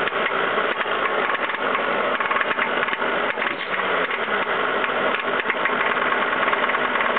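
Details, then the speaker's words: Ford 5.0L V8 idling and being snap-throttled: a sharp clacking tap over a harsh, rattly note. Suspected rod knock, heard from the driver's side. The engine also has a bad fuel pump and check valve, with slow fuel pressure rise. "This confirms a slow climb, and now we're going to start the car, and it also has suspected rod knock, which hopefully you'll be able to hear. You can probably hear the rod knock coming from the driver's side."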